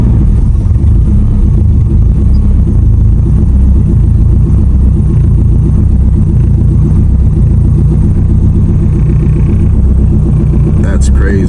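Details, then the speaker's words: 700hp+ turbo Honda S2000 on E85, cold start before tuning: deep, lumpy idle with an uneven pulse. The AFR is pegged at 8, far too rich. The car has starting, idle and driveability problems and is extremely rich in all conditions. "crazy that's uh 8 AFR pegged all the way to eight that's too too rich"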